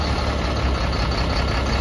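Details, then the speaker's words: Caterpillar C7 diesel in Freightliner M2, check engine light and rough running, manual cylinder cutout test on cylinders one to six via CAT ET: uneven low throb pulsing as cylinders drop; all change equally, injectors judged fine, cause unconfirmed. "i'm just gonna go through cylinder one through six and manually cut the cylinders in and out and you'll be able to hear it in the background you're listening for the change every time you cut each cylinder out"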